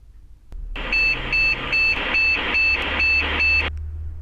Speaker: short bits general exception error or such as a processor or graphic cards usually caused by a fault expansion card or a motherboard hardware issue or a damaged cpu